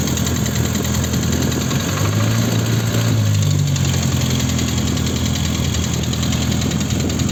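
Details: VAZ 21083 at idle, warm or cold alike: faint metallic ringing knock tied to engine speed; owner suspects a piston pin, probably in cylinder 1.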